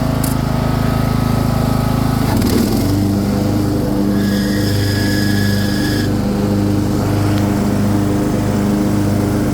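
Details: Craftsman II lawn tractor with a swapped-in newer engine and a bad key switch: a brief clatter near the start, then a steady, smooth hum without misfires; it runs fine.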